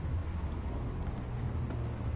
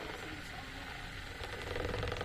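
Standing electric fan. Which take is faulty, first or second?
second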